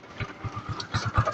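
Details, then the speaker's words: Kawasaki Rouser 135 after repair, parts replaced, kick-started because of a weak battery, idling with an even, soft putter of about eight beats a second and no knocking; now quiet compared with the heavy clatter before. "Ayan pero tahimik na. Kumpara mo naman nung dati na walang yan lakas ng lagapakan nito"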